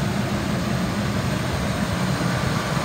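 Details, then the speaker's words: 2002 Ford F-550 XL sewer inspection truck, 6.8 L V10 gas engine, 4,900 original miles, running almost an hour without overheating: steady deep even rumble, no knocks or ticks; normal smooth idle. "motor sounds good i'm gonna rev it up so you can hear it i've had it running for almost an hour it has not overheated the motor sounds good and it idles real smooth"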